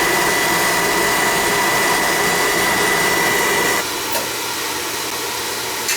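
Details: Oil-fired furnace that had been tripping out on safety from air in the pump, running after fittings were checked and the line flushed; constant blower-and-flame roar with no sputter, a thin whistle stops partway, burner firing steadily.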